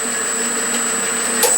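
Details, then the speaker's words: Walker Turner drill press on a VFD at 1,000 RPM: very quiet, steady high whine with faint low hum, no knocks or rattles; running smoothly and healthy. "Listen how quiet it is. Maybe you can't tell, you know, from the camera. That's it at 1,000 RPM, and I can crank it up to 2,000, and you can't even hear it, hardly."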